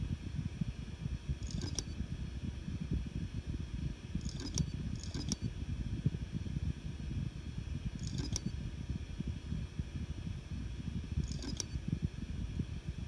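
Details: Seagate Barracuda Pro 8 TB hard drive: sharp metal-on-metal clicks like scissors closing every few seconds over a low hum; Seagate confirmed this abnormal sound should not be there.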